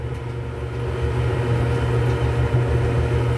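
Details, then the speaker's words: Whirlpool Cabrio dryer after replacing idler pulley W10547292: steady, even low hum with no grinding or squeaking; smooth-running drum. "No more grinding. No more squeaking."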